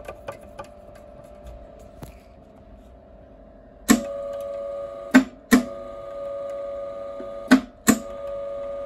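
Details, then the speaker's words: Eland 200 MIG welder: thin feed motor hum with irregular sharp clicks and snaps as wire feeds; drive rolls slipping on the wire, roller tension being tightened further. "It is slipping a bit still. It's slipping a bit still, so let's tighten it up even more."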